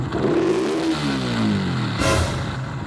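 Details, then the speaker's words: Raider 150 Fi motorcycle: engine revs and falls back, leaving a lingering gear rattle after revving; the balancer had recently been replaced, and the noise comes from a misaligned balancer gear, possibly damaged. "nagpapalit lang daw ng balancer so meron na tayong idea kung ano yung problema so possible nga nito may tama yung gear kaya Gan yung tunog"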